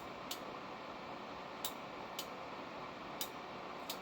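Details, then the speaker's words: 88-98 Chevy with LB7 Duramax and NV4500 swap on a stand-alone harness. Once the clutch switch is tied in, several sharp, dry relay clicks sound over a steady hiss, confirming the start-enable circuit works. "We got a start enable. Sweet."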